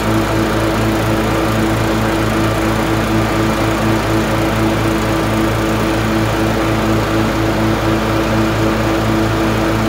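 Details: LT1040 riding mower after valve cover gasket reseal with silicone and pulley replacement: smooth steady running at constant speed, even firing beat, no knocks or grinding, smoke gone; healthy.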